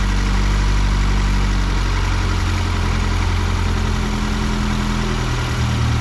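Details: Fiat 124 Spider 2000 on the bad partially working ignition coil, carb unadjusted, idle held high and lumpy with uneven beat and stumbles; needed idle screw at 1100 rpm to keep running, backfired through carb.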